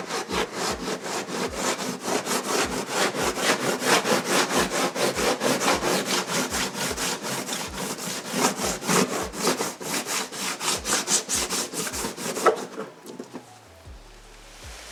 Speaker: like sanding the car.